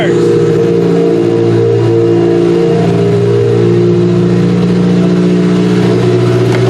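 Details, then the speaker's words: Demolition derby car's first start since end of September (now February) after fitting a computer and fuel lines, with some oil in: catches, revs briefly, then settles to an even idle with no knocks or misses; healthy running. "fuel lines pressure and it started up for the first time since Grand Valley which what was the end of our September end of September and now we are February so pretty much started up right away"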